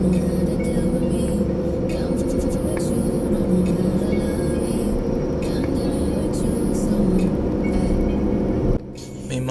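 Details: Toyota Camry/Aurion, in-cabin while driving: a low, wavering helicopter-like drone from a worn wheel bearing on one wheel; the noise went away after that wheel bearing was replaced.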